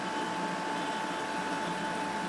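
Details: GE window air conditioner just installed, running: quiet, steady hum with a fine whistle-like tone and soft airflow, no rattles or clicks; running smooth and healthy.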